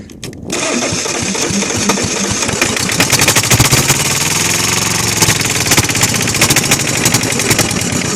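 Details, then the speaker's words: Kohler KD425-2, cold start: cranking catches, then the engine stumbles and stutters unevenly without settling into a steady run. Hard start from lost fuel prime; the owner suspects an air leak, and a fuel hose is cracking. "Losing fuel, man. Come on, man. Prime it. Yeah, I gotta fix that."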